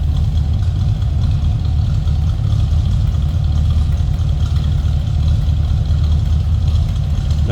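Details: 1960 Buick Invicta Custom convertible, numbers-matching 401 cubic inch Nailhead V8 with automatic transmission, heard from the rear: steady, even low rumble from the tailpipe with no misses or ticks; idling smoothly and healthy.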